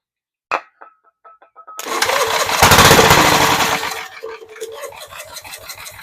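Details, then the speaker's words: Gravely Model L garden tractor with Jenkins overhead-valve conversion, spray into carburetor, choke open, throttle midway: a few slow cranking clicks, then the single catches and roars two seconds before fading to uneven popping; fires on spray, gasoline and possible carb cleaning next. "Okay, well, we do know we'll fire up. So the next thing to do, put some gasoline in it, see if I've got to clean the carburetor or not."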